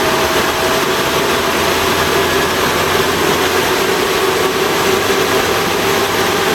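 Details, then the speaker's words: 1988 Toyota Hiace driving after fitting new viscous fan coupling and new belts: steady, loud rushing air roar drowns out the engine; fan locked in by good coupling; normal engaged viscous fan roar. "Well, as you can hear when I drive this, the fan's locked in nicely. So I've been giving it some help. All you can hear is fanage. Quite nice."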